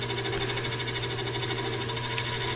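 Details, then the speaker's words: Lathe turning a thin (under 1/8 inch) segmented figured-maple globe lampshade at 250–800 rpm: fast, even buzzing rattle over lathe hum while cutting; chatter from the thin-walled workpiece flexing against the tool, forcing thinning to stop. "it still was flexing as its pumped which you'll hear right now you hear that chatter that chatter is the globe flexing"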